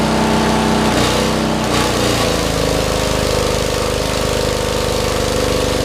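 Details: 40-year-old Lincoln Weldanpower 150 engine-driven welder, rope-started, cranked up to full output for welding; steady even single-cylinder drone at constant speed, no knocks or misses, running healthy under load.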